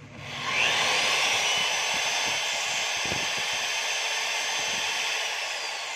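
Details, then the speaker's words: DeWalt DWE1622 magnetic drill after repair restoring the magnet; previously it overloaded with a red light when switched on, now it doesn't. Motor spins up cleanly to a steady, even high whir and holds speed without stalling; running normally. "So kung mapapansin nyo mga kabay, kanina, pag inon mo, pag switch mo to, nag-overload siya, nakapula. So ngayon, pag inon mo, wala na po."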